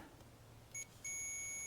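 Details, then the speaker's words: Ignition points from an antique Briggs & Stratton engine off a homemade mini farm tractor, continuity-tested on the bench before adjusting on the motor: a short chirp, then a long steady beep as they close. The points switch properly. "Alright. Alright, cool. So now we know the points work."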